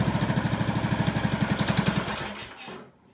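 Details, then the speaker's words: 2003 Craftsman LT2000, 18.5 hp Briggs & Stratton Intech, first start with fresh gas and plug: a steady, even putter with crisp firing, then a clean shutdown; runs well, needs an air filter and oil change. "That thing runs really good, man. Get guys up close. Fire her up again. No choke. These old Briggs and Strattons, you can't beat them."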